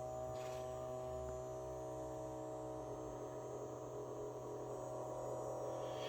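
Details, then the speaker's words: 2006 Yamaha GP1300R jet ski after top-end rebuild and engine install, on a temporary battery: steady, even electric hum from the bilge pump with no grinding or rattle, running normally. "that's the bilge pump it'll turn off in a minute gauge working"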